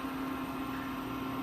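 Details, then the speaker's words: Induction cooktop running: steady low hum with even airy hiss from the cooling fan after pressing power with a pan on it, normal operation. "So when you press the power button, you'll hear it's a little noisy, but it doesn't conduct a lot of heat, so it won't make you hot while you're cooking."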